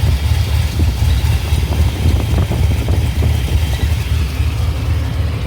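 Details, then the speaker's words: 2005 Chevrolet Silverado 6.0 LS with Madd Maxx cam and longtubes: lumpy idle stumbling every few pulses. Inline spark tester shows cylinder 1 dead and cylinders 4 and 8 weak. Fixed by replacing plugs and coils and adjusting misfire timing. "Nothing. One's not happy. Four is not happy. And eight's not happy."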